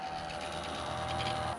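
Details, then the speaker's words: Ryzen desktop PC, side panel off and mic turned toward it at power-on. A steady whooshing whir with a thin, constant whistle comes from a loud, noisy cooling fan; a case swap with new fans is planned. "so hopefully you can get a good idea what this baby sounds like that's what this fan sounds like oh there's another one"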